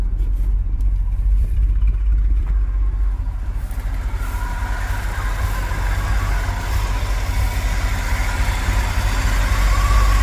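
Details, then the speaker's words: 1980s Chevy K30 dually 4x4 dump truck, warming up after revving, on old gas with funky-looking carburetor; low uneven loping stumble, three to four surges a second; fuel filter still full; owner suspects vacuum leak or carb/fuel; stumbling idle. "but you know that is old gas and that carburetor looks pretty funky and it sounds like we've got a vacuum leak and now the truck's not very happy after giving it some gas now that she's warming up"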